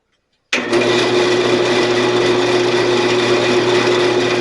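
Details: Sears Craftsman 12-inch belt-driven bandsaw after new tire replacement and blade refit: switches on sharply into an even steady whir with constant mid hum, no knocks or rubbing; normal running.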